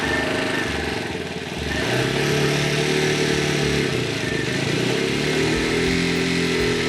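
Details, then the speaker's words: New CSC TT250 single-cylinder dual-sport on first start, cold, packing grease burning off exhaust: slow, uneven thumping with wandering, dipping beat; rough low idle because engine is new and tight, idle speed needs adjusting, later stalled from insufficient warm-up. "And as you can hear, it's it's running pretty rough. It's really tight right now. That engine's new. And the idle is going to be low."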